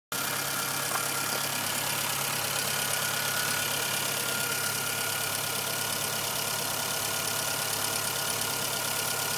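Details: Light, fast top-end ticking at about four per second over a steady idle with plenty of hiss from a 1997 Suzuki Swift 1.3L engine; cause unknown.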